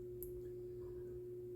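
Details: QNAP TS-253D NAS running: steady pure mid-pitched hum droning over faint street noise; poorly designed plastic front cover resonates and buzzes, reduced by pressing it and eliminated by removing the cover.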